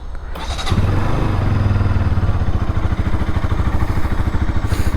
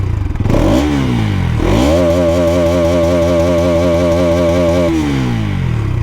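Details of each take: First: Bajaj Pulsar NS200 single, about 2 years old, started in neutral: settles into a deep, loping thump around two and a half beats a second; owner notes heavy vibration, source not pinpointed, later rattling number plate and mirrors. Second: Bajaj Pulsar NS200, about 2 years old, in neutral: clean throttle blips, then a rise to a held steady rev and a smooth drop back; even, healthy exhaust note. Owner notes vibration, a noise probably from the number plate, and mirrors that keep coming loose.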